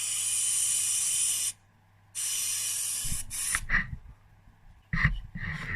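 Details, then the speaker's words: 2001 Yamaha DTR 125 (4BL) two-stroke carburetor, tested by blowing air down the petrol pipe with the floats closed. A steady hiss shows the float needle valve isn't sealing on its seat, which would let petrol out of the overflow. "Now we'll blow down the petrol pipe. Still hear air when they're closed."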